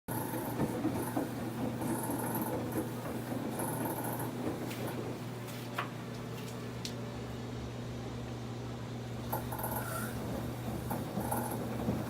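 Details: Samsung WF1124 front-load washer: low, uneven rumble with a steady hum and scattered knocks as the drum turns. Noise once only at spin, now also during washing and increasingly frequent; cause not pinned down.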